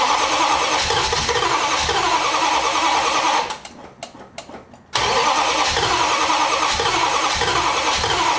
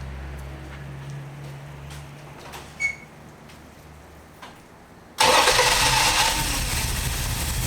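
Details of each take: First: 1968 Valiant ute with 318 V8, running rough for weeks, now cranking after plugs refitted: two long bursts of steady starter cranking, about three beats a second, no firing despite plenty of fuel; crank no start from fouled spark plugs, replaced. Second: 1968 Valiant ute 318 V8 after carburettor mixture screws set 1.5 turns out: quiet, then catches instantly and settles into a strong, even run with no stumble; now starting and running normally.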